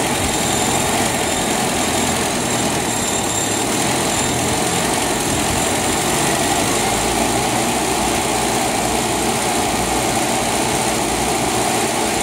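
Engine idles with a steady, buzzy note and a faint stumble in its beat, pointing to a misfire whose cause isn't clear yet.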